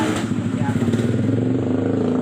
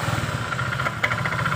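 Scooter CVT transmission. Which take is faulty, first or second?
first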